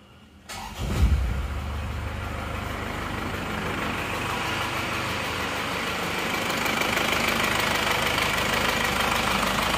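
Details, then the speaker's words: Diesel engine just reassembled after a holed block repair, restarted after a brief first run: settles into a steady idle with a light fast ticking over the clatter; valve clearances noisy, to be adjusted next day. "seperti ini teman-teman ini masih perlu diserapnya ya mengajak berisik klepnya besok di setel lagi"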